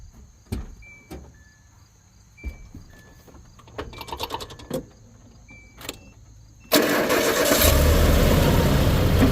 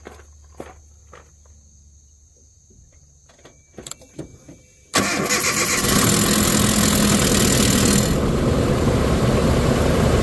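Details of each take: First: Stripped base-model pickup with 130,000 miles and a presumed stock timing set with a good tensioner catches after a brief crank and settles into a steady even run, absolutely no startup rattle. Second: Truck with aftermarket tensioner and timing set, cold start after sitting all day: harsh metallic timing chain rattle for a few seconds before settling into a rough idle.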